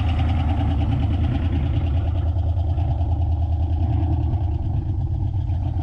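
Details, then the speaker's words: 1987 Mustang GT convertible that sat 25 years in the Florida sun: rough, low, loping idle running only on sprayed brake cleaner for about 30 seconds, because the fuel pump isn't pumping. "it actually runs not bad [Music] [Music] really running off that brake clean there we go all right so I might have flooded it a little bit with the brake clean but it actually allowed the thing to run for a good 30 seconds there"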